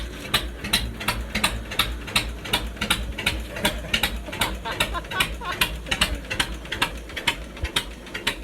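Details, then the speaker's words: John Deere 50 two-cylinder tractor with power steering and roll-o-matic front end, long sat, running with the muffler removed on just a short pipe: sharp, uneven, loud open-piped popping bark at about two to three beats a second. Normal running. "Let's see what the old 50 sounds like with no muffler. Ain't that something? Just a little pipe there, right?"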